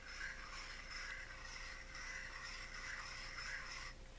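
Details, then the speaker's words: Shakespeare spinning reel checked before opening (no schematic found): faint gritty scraping and ticking in repeating bursts as the handle turns; reel turns but drags, rough rotation rather than spinning freely. "does the reel turn smoothly no it does not turn smoothly i mean it turns can you hear"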